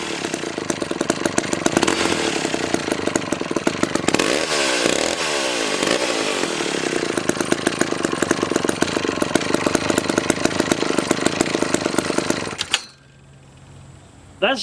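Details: McCulloch 1-42 project chainsaw, two-stroke, blips cleanly up and back down, then settles and shuts off; crisp, even firing, normal healthy running.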